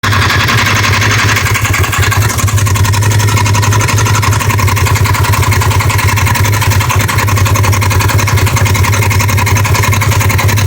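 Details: 2015 Polaris RZR XP 1000 with a knock from the right side that began on start-up after sitting a day or two; it now knocks on every start, and also warm and when driving, though intermittently; a steady knock about three per second over the idle.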